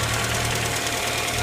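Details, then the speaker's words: Neglected one-owner car with dirty, never-changed and possibly low oil, at idle: steady idle with a light, quick ticking over it; owner suspects noisy lifters, not confirmed. "it's kind of bit of a wrap sounds to me like it could just be lifters"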